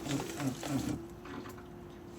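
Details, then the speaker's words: Opel Vectra C Z19DTH diesel after engine rebuild, not starting: with ignition on a steady low hum/growl under the car from the fuel pump, which is failing. "sur le côté, quelque chose grogne incompréhensiblement. Comme une pompe à essence, quelque chose grogne."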